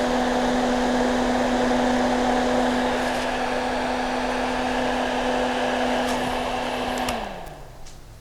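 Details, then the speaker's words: Exhaust fan that was humming, after disassembly and oiling the shaft bearing: smooth steady low motor hum with even airflow, no grinding or rattle, then clean coast-down; now spins more briskly, running normally. "Даже чувствуется, что вращаться он стал бодрее."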